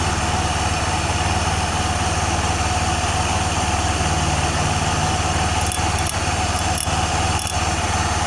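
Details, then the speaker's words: Honda Vario 110 FI scooter after the wobbly crankshaft was trued and the worn left crank bearing housing repaired, checked with the front pulley only: smooth, even idle with a steady fast beat and no wobble, rattle or bearing rumble. "untuk suaranya sudah kembali halus Kang Bro sudah"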